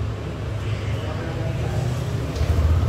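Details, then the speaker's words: Yamaha All New NMAX 155 keyless scooter that would not electric-start. After swapping the SGCU, remote and receiver, it starts: a low, steady putter settling into an even idle with no misses or knocks. This confirms the original SGCU was faulty. "motornya bisa dinyalakan, teman-teman."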